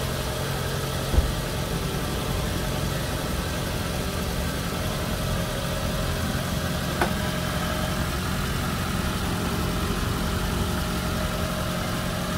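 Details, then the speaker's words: Toyota Camry XV40 idling after its aftermarket K&N air filter was cleaned and refitted, with an exhaust header fitted: smooth, even low idle with no knocks, misses or hunting; everything sounds normal. "Ya, semuanya kedengaran normal dan ini mesinnya sudah dengan filter yang baru, sehingga harapannya pernapasannya akan lebih baik ya."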